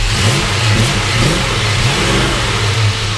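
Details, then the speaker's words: 1965 Ford Mustang GT, original 289 with Pertronix ignition, started and revved: steady even V8 burble swelling cleanly on a quick throttle blip and settling back smoothly; normal healthy idle and rev. "So go ahead and start it up. We'll hear it run. It's got Petronics in it as well, but it runs really good."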